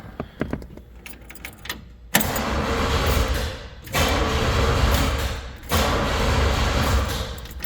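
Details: 1965 Chevrolet Impala 327 V8 after installing a starter relay on the firewall to cure a click-only no-crank: after a jingle of keys, three firm, even cranking bursts; starter engages cleanly every time.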